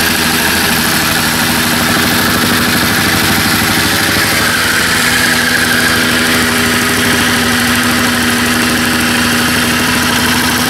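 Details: Jumpin Jack two-stroke engine running after carburetor diaphragm service: steady, buzzy note holding an even speed with no stumbles or surging; owner wonders if rings or cylinder are worn; normal running.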